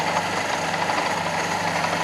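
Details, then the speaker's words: Fiat Panda 4x4 Sisley carburetor engine at idle, idle mixture screw tried in every position: constant, slightly lumpy idle, strong fuel smell; caused by jammed float level flooding the bowl, fixed by bending the float pin to lower fuel level. "I've had it in every position imaginable, and it still runs just as lumpy. Apart from when you wind it right the way in, it stalls the engine, which is obviously expected."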